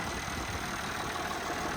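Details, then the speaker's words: IH 1466 salvage tractor, diesel idle: steady, even clatter with no misses or knocks. The injection pump is making a mess and the alternator makes noises, but the engine runs well with little blow-by. "Yeah, the injection pump is making a mess, but it, you know, seems to run pretty good. It'll make good parts."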